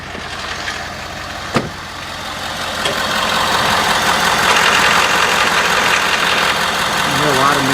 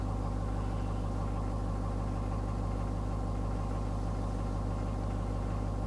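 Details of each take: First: Ford 6.7L diesel, 83°F ambient, idling at 600 rpm after a restart, low oil pressure warning that clears near 1,000 rpm: steady loud clatter with a fast tick about four a second; noise from low oil pressure. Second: Ford 6.7L diesel cold start at about 45°F ambient, after sitting all day: steady, even idle clatter about three pulses a second, no knocks or misses; the low-oil-pressure fault doesn't occur cold: normal cold idle.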